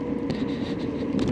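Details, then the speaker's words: Lexmoto Cypher motorbike on a ride test after earlier rear wheel bearing issues: freewheeling is smooth with steady road rush and no grinding or rhythmic growl from the rear wheel; bearing sounds healthy. "and you'd hear it as well be grinding like a good and but when it's freewheeling it's lovely so absolutely no noise"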